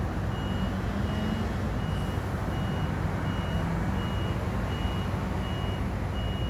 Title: Crane driver just came back and crane doing nothing. Beeping non stop.